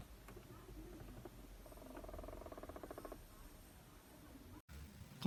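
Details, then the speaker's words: BYD Song Plus DM-i: quick ratcheting creak for about a second as the air conditioning starts, traced to the black and white actuator gears behind the glove box. "这回知道是空调哪块嘎吱嘎吱响了。"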